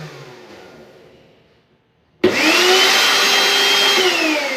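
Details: Mixer grinder from Dubai that would not run, powered by a temporary lead with its faulty bottom safety switch shorted out. Silence, then the motor snaps on and its whine climbs quickly to a steady, even high pitch: running normally.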